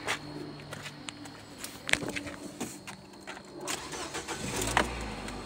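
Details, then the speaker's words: 2012 Nissan Versa with a no-start complaint, started after boosting the battery (8 V on the weak booster): starter cranks briefly, then the engine catches and settles into a steady idle; normal cranking and start. "it starts so let's go see what our voltages with it started"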